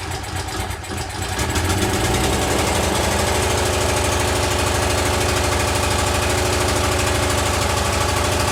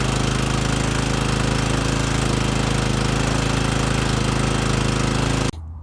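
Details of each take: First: Exmark commercial walk-behind mower with oil filter, started on choke with air filter off; engine catches and runs with a steady rhythmic beat that hunts slightly, lean surging from starved fuel. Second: Exmark commercial mower that had been surging and running lean, after a carb cleaner service, on fresh fuel. The small single runs steady and even at fast idle with no hunting or surging, then shuts off cleanly: normal running.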